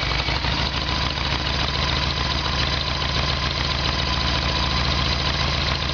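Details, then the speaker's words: Harley-Davidson Evolution Sportster, carb problem: fuel tap on ON runs the hose dry, fuel flows only on reserve (owner suspects faulty tap). Uneven V-twin idle stumbling and loping irregularly as the carburettor is starved; earlier backfiring. Fuel starvation. "okay just for confirmation will do that test again we'll start it up with the fuel tap on the on position will see that it runs dry and then we'll turn it on the reserve and we'll see fuel flow through the hose"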